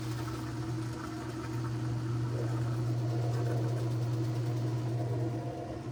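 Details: Whirlpool top-load washer on drain and spin after repair: a steady, even motor hum with a soft water swish and no knocking or grinding; draining and spinning normally.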